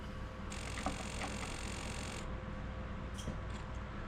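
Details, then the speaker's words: Sony PS2 from e-waste, testing with a game disc: thin high whine rises for a couple of seconds with scattered clicks then drops away as the disc stops spinning; abnormal disc drive noise. "Getting a really strange noise from the uh disc drive itself though. But the D the game does it is spinning up so that's a good sign."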